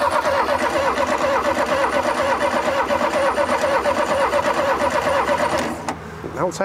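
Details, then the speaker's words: 1971/72 VW Super Beetle that sat over 30 years with rodent infestation: the starter churns evenly, about two beats a second, with no clunks, but it never catches. The distributor points were found badly corroded. "turning over though no clunks or clanks or nothing like that yeah i guess we'll go ahead and pull this distributor cap off"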